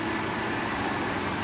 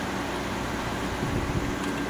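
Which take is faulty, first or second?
first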